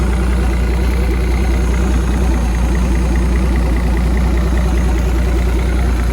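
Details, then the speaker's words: 1959 Graymarine 109 marine engine from a 1959 19' Lyman, after a complete overhaul, oil-pressure priming, timing set and carburetor adjusted: smooth, steady low idle rumble with an even beat, no knocks or misses; normal idle, running sweetly. "all right got our 109 running here set the time adjusted the carburetor sounds really"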